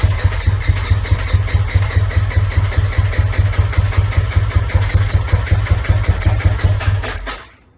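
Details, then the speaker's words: Turbo S after head studs and injectors were fitted, timing checked. Steady cranking at about 2.5 turns per second for seven seconds without catching. Owner suspects the fuel pump is in backwards and not building pressure: crank no start. "it doesn't sound like it's building any pressure because the engine sounds like it wants to start but it sounds like it's only wanting to start"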